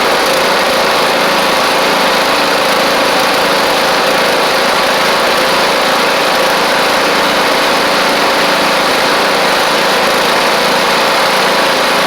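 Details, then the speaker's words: John Deere E100 mower with swapped Briggs and Stratton engine, warm after about 20 minutes mowing: steady even buzz at constant speed, no knocks or misses; running healthy. "Everything's good. And as you can see, everything's working fine."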